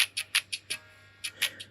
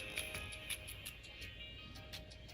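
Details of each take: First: First-gen AirPods Pro right earbud after replacing a speaker that crackled, especially at high volume: clean, clear music with no crackle or buzz; normal playback. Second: First-gen Apple AirPods Pro, right earbud playing music: choppy sound with sharp crackles at a steady pace over a buzzy tone, worse at high volume, not clogged; the speaker driver has failed and needs replacement.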